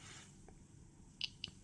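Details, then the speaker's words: Atom-scan dosimeter with click sound enabled for each gamma quantum hitting the crystal: three crisp high ticks at random spacing over quiet room noise, normal detection clicks. "можна включити озвучування кожного влетівшого в Кристал гамаканта щелчками або пісками динамік в дозиметрі буде це робити от вмикаємо щелчки"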